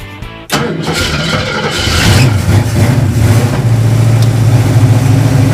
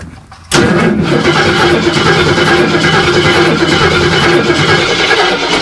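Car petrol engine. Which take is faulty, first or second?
second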